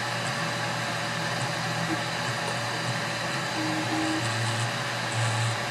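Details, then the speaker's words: CubeX Duo 3D printer conversion, while printing: steady harsh buzz with a low hum under the printing, louder on X-direction moves; the X-axis stepper motor is vibrating and buzzing. "So when it's moving in the X direction, it's very pronounced."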